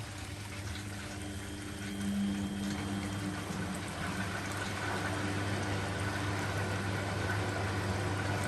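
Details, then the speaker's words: Washing machine in a shed on temporary plumbing, draining just before final spin with water left on for the sump flush: steady low pump hum and evenly rushing, splashing water, no grinding or rattle; normal drain pump-out. "Once it's finished draining, I'll turn it off and show you this main part here. But it's about to go on to final spin anyway."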